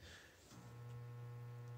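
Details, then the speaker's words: Furnace combustion blower (draft inducer) motor seized: on a call for heat it makes a continual, fairly loud low electrical hum without spinning. Fix is replacing the combustion blower assembly. "it does is make continual humming noise and it's a fairly loud hum and it's coming from this combustion blower or draft inducer"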